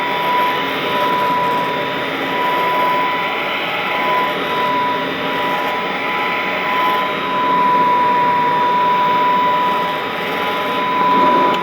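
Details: Vintage all-metal Royal Model 153 vacuum, owned 22 years, 3-amp bushing-style motor with belt tension kept light; smooth, steady quiet hum with even whine, no knocks or grinding; normal running.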